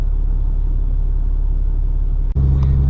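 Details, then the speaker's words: Third-gen 6.7 Cummins diesel pickup with 4-inch exhaust and MBRP muffler, recorded inside the cab at low revs: deep, steady booming, pressure-like hum filling the cab; exhaust drone. "don't know if you guys can tell, trying to see if you guys can hear the drone from in the cab. Like I said, it's 4-inch with the MBRP muffler."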